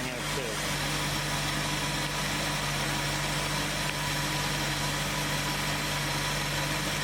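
Steady, even low hum with no misses or knocks over the whole stretch; the V8 idles smoothly and sounds healthy.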